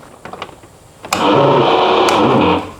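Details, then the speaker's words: Rebuilt MerCruiser 5.7 boat engine, previously flooded with blown head gasket and piston, first start attempt in neutral: only blower fan whir, no starter click or cranking; no crank because a starting-circuit fuse was bumped loose, then it spins over after reseating. "The blower works. Nothing happens for the key. It's in neutral. Nothing."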